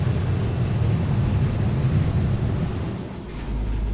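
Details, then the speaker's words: 1958 Chevrolet 3100 Apache, 283 V8 with TH350 automatic, idling: deep, even V8 burble with steady low pulses, quiet through a good muffler, exhaust audible but no cab drone; no ticking or knocking, a normal healthy idle. "Idle's nice and quiet. Good muffler. Can hear the exhaust, but you're not droning out in the cab or anything like that."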